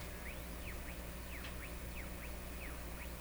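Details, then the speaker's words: Hallicrafters S-53A receiver during alignment, running on reduced B+ from a defective power transformer, fed a 455 kHz signal-generator signal with no antenna. Over a low hum a whistle swoops up and down every half second. A heterodyne is suspected from picking up a broadcast carrier, not confirmed. "there's a heterodyne in there it could be because it's still picking up so the heterodyne is the pitch going up and down that's kind of an interference"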